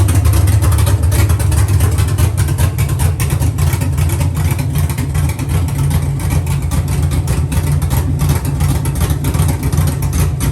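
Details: Dropped Chevy truck, cammed 5.3 V8 with Texas Speed 232/234 110 LSA cam: loud, deep lumpy idle with uneven lope and choppy pulses, no knocks or rattles; sounds healthy.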